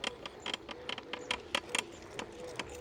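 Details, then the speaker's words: Kukirin G2 Ultra electric scooter while riding: dry, irregular creaks and clicks several times a second from the steering column; creaking stem, cause suspected, not confirmed. "je pense que vous l'entendez au micro, on a un craquement au niveau de la colonne. Alors, je pense que c'est un problème qui peut se résoudre assez facilement, mais c'est vrai qu'au premier abord comme ça, c'est plutôt désagréable."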